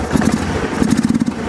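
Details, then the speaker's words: Long-sitting Kawasaki 300 ATV, started with starting fluid before carburetor teardown: uneven sputtering idle that falters and dies, runs only briefly — stalling at idle from a clogged carburetor jet. "So you see, it will run, but it doesn't run for very long."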